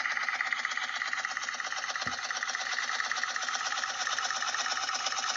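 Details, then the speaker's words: Motorcycle engine only a month after a refresh, cold: fast, light metallic clatter about three ticks a second over a thin engine note; the same rattle the owner complained of persists despite the refresh, cause unknown. "Ito yung tunog na hindi pa rin nawala kahit nagawa na na-refresh na ang makina ni Idol. Ganun pa rin ito."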